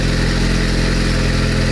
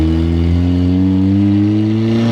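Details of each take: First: Turbocharged Honda Civic-based Bugatti Veyron replica, first start: loud, steady, even low drone with no knocks or misses, described as sounding kind of decent; normal idle. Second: Turbocharged Bugatti Veyron replica, second-gear full-throttle pull, hot, smelling of oil with smoke: engine pulls then breaks into ragged popping and stumbling, no power, wastegate and turbo noise; misfire under full throttle.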